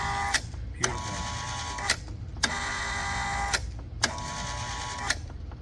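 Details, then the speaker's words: 115 V Kustodian Plus lane machine, test output 11, after replacing a bad relay and repairing a broken neutral (white) wire from the motor to the neutral block under the PLC: the squeegee motor hums in short runs, each ended by a click. It cycles up and down normally. "So we had a bad relay, and we had a bad white wire that from the motor to the neutral block under the PLC. This thing's running like a champ now."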